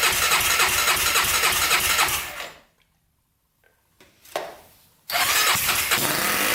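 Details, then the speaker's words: 1999 Honda 400ex quad just fitted with an oil-cooled turbo, first start on choke with fuel sprayed in: fast ragged firing dies, catches briefly, won't keep running; only runs on sprayed fuel, owner unsure if air leaks or fuel delivery. "this basically only runs because that gas goes in there"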